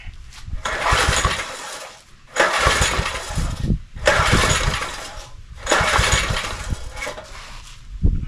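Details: John Deere tiller with a swapped-in engine and zip-tied governor, new spark plug wet with fuel, choke half then fully closed: four pull starts, each a short rough burst that dies at once; owner suspects too little air.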